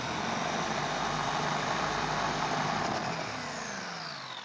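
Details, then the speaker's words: Traxxas Bandit RC car in ESC training mode, 50% power: the electric motor gives a thin, high whine, quieter and lower-pitched than full power, dipping as it spins down; normal reduced-power behaviour. "yeah, it's 50%. So yeah, you can tell it's much quieter. It's not as loud of a pitch."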